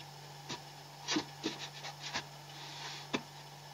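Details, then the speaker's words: Refrigerator compressor running during refrigerant (freon) recharge after methyl flush, before adding more freon; filter slightly vibrating and warm; steady low hum under nearby tapping, claimed not clogged, normal compressor running. "bunyi ini harus bunyi nih Ini Yang Namanya tidak mampet ini ini saya menjamin ini tidak mampet"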